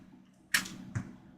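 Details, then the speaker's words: Apple HomePod smart speaker: two sharp pops over faint low hum from aging power supply filter capacitors; likely worse as it warms; subwoofer possibly damaged. "okay so we've got some popping I can hear it hopefully the subwoofer hasn't gotten roasted I'm sure that popping would be a lot worse if we left it plugged in and let it warm up as is the nature of those uh capacitors and their typical failure mode"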